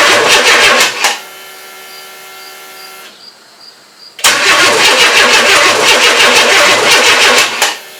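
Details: 1994 Chevy S10 with 4.3L early Vortec, first crank after engine install: starter spins the engine in even pulses of about three a second, in two long bursts, but it never fires. Owner suspects no fuel getting up; cranks but won't start.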